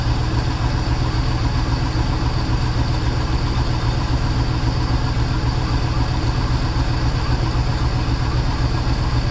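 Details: Project boat, port engine at its first start-up: steady, even low idle rumble with a regular beat and no knocks or ticks; it runs well, unlike the starboard engine with its suspected rod knock.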